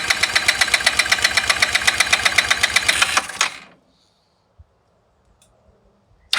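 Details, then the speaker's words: Znen scooter engine: uneven idle pulsing about four beats a second, surging and sagging before cutting out; idle better with vacuum port exposed, dies when EGR covered, fuel leak noted; cause unconfirmed. "better by covering up the vacuum by leaving the vacuum exposed i get a better idle i do still get and you can hear it punching with that move"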